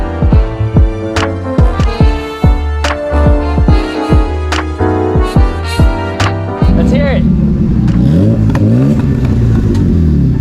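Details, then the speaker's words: 1981 BMW E12 petrol engine, 40 years old, after a stretch of music, running with a deep, steady exhaust note; catalytic converter replaced and no exhaust leak. "now why does it sound so good I changed the Catalina converter there isn't an exhaust leak"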